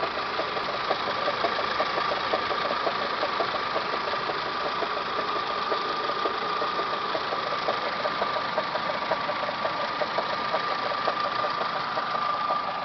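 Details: Toyota Camry 5S-FE engine at idle, timing belt job done Feb 2011: thin steady whine with light ticking from the timing belt/water pump end, started a few days ago. Cause unclear.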